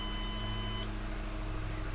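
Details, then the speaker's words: Shelby GT500 idling smoothly with a low, even hum and no misses or chirps after replacing a faulty alternator fitted by another shop; the car previously wouldn't start and now runs as it should. "So before, this car wasn't even starting, and now it's working like it should."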